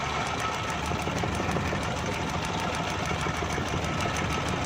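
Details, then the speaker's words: 2012 Suzuki Bolan misfiring on both CNG and petrol: uneven idle with sharp regular snapping ticks; ignition wire chafed through by rubbing, arcing to the body and causing the miss. "दोस्तों इसका करंट का आवाज़ आ रहा है, कहीं से इसका current short है जिसकी वजह से ये मिसिंग कर रही है सीएनजी पर भी और पेट्रोल पर भी।"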